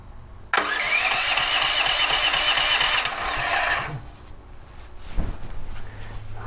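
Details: DuroMax XP13000HXT tri-fuel generator that reportedly runs on propane but not gasoline, engine oil had been very low: about three seconds of fast cranking on gasoline with fuel valve on and choke on, never catches; crank no start, cause suspected, not confirmed.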